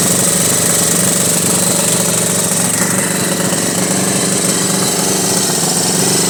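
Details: 1983 Honda Goldwing Aspencade project engine running for the first time, started on full choke: uneven, lumpy, ragged beat over busy mechanical clatter; rough running that clearly needs carburettor tuning and dialing in.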